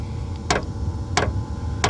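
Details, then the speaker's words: Tent heater in warm-up phase, set to level one: sharp, evenly spaced ticks about every two-thirds of a second over a low hum; heater's fuel pump ticking normally before the fans spin up. "I'm going to put on level one to start you can see right down here okay you hear that the fuel pump is starting to"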